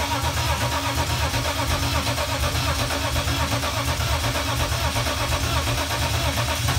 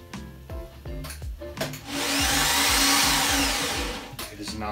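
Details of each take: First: 1995 BMW E36 M3 with freshly rebuilt S50 engine, first start after about 11 months, starter just rewired. Smooth, even six-cylinder idle with a couple of clean throttle blips, no knocks, slapping or rattles: normal idle. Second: 1995 BMW E36 M3 with a rebuilt S50, first start after the fuel had been disconnected: a few slow cranking pulses, then an even high electric whine with no engine rotation. The starter seems to be spinning freely without engaging the flywheel.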